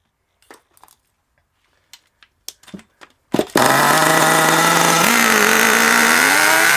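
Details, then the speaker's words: HPI Savage 21 nitro RC monster truck engine after leaning the low speed needle a full turn: high buzz surging and wavering in pitch instead of holding steady; still running rough and rich. "even though i've leaned it out quite a lot still not very happy is it"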